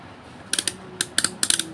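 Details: Multimeter rotary selector turned: crisp high-pitched ticks in quick clusters, each step snapping firmly; the detent ball seats in its channel properly, whereas a worn ball lets the selector spin freely and silently.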